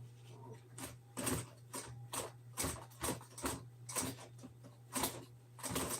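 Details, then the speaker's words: Sewing machine straining to sew through old hard plastic, after breaking needles: uneven heavy thumps about once a second, laboured; owner unsure whether the material is binding it. "But this part right here it does not want to be sewed through. That hard plastic. Let's try this. You hear that crap? I don't know whether this is binding it or what."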